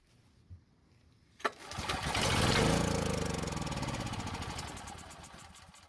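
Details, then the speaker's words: Powermate generator that sat a very long time, fed its own fuel directly into the carb: clicks, catches, runs a few seconds with quick even pulses then fades; stale gasoline in tank confirmed problem, carb not yet inspected. "Now this time, we actually got it to run for a second or so, which is great news. It means the engine is capable of running, and we definitely have a problem with the gasoline that's in the fuel tank."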